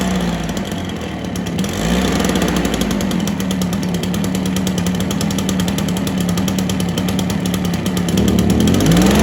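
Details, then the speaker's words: Stihl BR430 backpack blower of unknown storage time, spark plug boot just fixed, primed, choke on: steady buzzing two-stroke with wavering note climbing near the end, seems to only run on choke; idle later turned up. Rough running on choke. "try to run for a sec with a choke on I don't know how long it's been sitting for sounds like it wants to run with a choke on"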